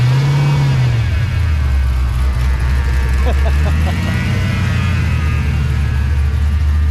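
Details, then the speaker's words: Supercharged Fox-body Mustang V8 that sits for long periods, no tune, never smokes; deep steady rumble with faint supercharger whine on top, runs smooth and even. Healthy engine. "this thing is amazing to me it's amazing how good it always runs it's crazy [Music] this car has always just ran so good no tune no nothing it sits forever and ever it never smokes"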